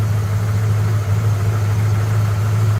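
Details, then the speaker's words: 1993 Ford Falcon ED 5-litre V8, towed in as a crank-no-start because the PCM wasn't grounding the ignition control module, so the coil made no spark. After the repair, with a faulty PCM diagnosed, it idles smoothly and steadily with no miss. "So yeah, as you can see, we're running, and we've got our computer control there, and you can see it's battery voltage to ground, and that's what we weren't getting before"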